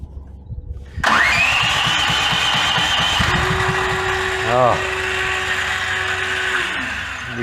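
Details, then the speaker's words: Brand-new Duromax 13000 generator, backfiring from first start out of the box: the electronic choke stepper motor tries full open, full close, then the middle, and finally gives up. Engine catches with ragged pops and bangs, then runs unevenly. "it tries it full open it tries it full close then it moves to the middle and it keeps trying and then it finally gives up all the while backfiring all along the way"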